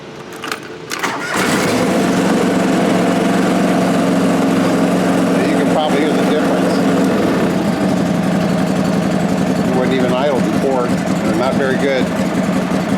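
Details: John Deere 445 mower that had been backfiring, shaking and running poorly, after troubleshooting, tune-up and coolant top-up: cranks briefly, catches within a second and settles to a smooth steady idle; healthy.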